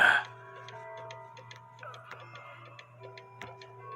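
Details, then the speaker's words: 1950s Poppo musical cuckoo clock with count wheel: tune keeps playing over steady ticking while the governor fan spins on; the music box stop bar needs slight adjustment to stop the fan. "and I told you that um that bar has to be adjusted or the music's going to play and that's why the music is playing"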